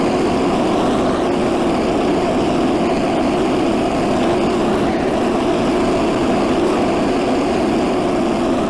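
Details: Stock Predator 212 single-cylinder swapped into a 1984 Workhorse GT100 tractor, driving the factory PTO mowing deck: a steady, even drone holds speed under mowing load with no misses or knocks, and the engine runs healthily.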